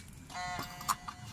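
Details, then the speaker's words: Yamaha FreeGo scooter that died after hitting a pothole (broken wires, ECU lost ground output). With new ECU and new fuel pump fitted, ignition on gives a brief steady electric hum then a click; normal fuel pump priming. "coba dulu pakai Ecu kalau dia udah dengung keluar api Berarti udah sip mantap"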